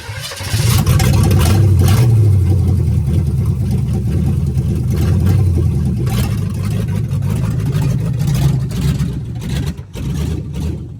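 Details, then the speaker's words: Budget $500 283 small-block Chevy with Turbo 350 in 1985 Oldsmobile Cutlass, headers said not to fit properly, driving slowly in the yard: heavy, uneven loping low rumble with irregular beat; runs rough, needs a lot of fine tuning. "hey the 283 or $500 283 runs it needs a lot of fine tuning as you guys can tell which we'll get into in the next time"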